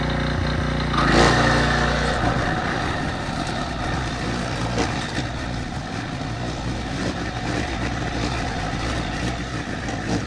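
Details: Early-to-mid-2000s Craftsman brush mower revived after 3 idle years (carburetor rebuild, air filter, spark plug, oil, strings): single-cylinder engine dips briefly as it takes tall grass, then holds a steady, even beat; normal running under load.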